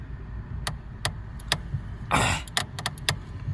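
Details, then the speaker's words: Lada Granta clutch pedal squeaking when pressed and rising, persisting despite silicone lubricant spray: short dry squeaks in bursts with each pedal travel over quiet idling; squeaky clutch pedal, source seems inside. "вот эта смотрите штуку я нажимаю она поднимается начинает скрипеть"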